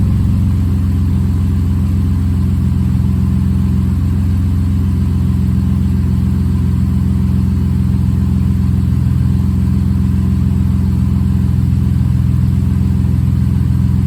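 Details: Rebuilt bored-over 3.9L V6 in a Jeep JK, warming toward operating temperature: even, steady note with a smooth low rumble at idle, no knocks or ticks; healthy.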